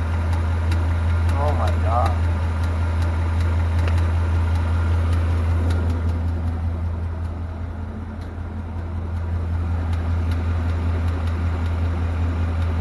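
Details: 2018 Mustang GT V8 with a newly fitted NBRP cat-back exhaust, idling; sharp even tick about 2.5 per second over deep idle rumble, cause unknown.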